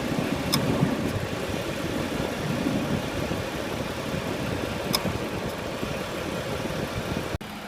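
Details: 2013 Ford Explorer idling with the A/C on: an uneven, loping idle with occasional stumbles; rough idle, cause not pinned down.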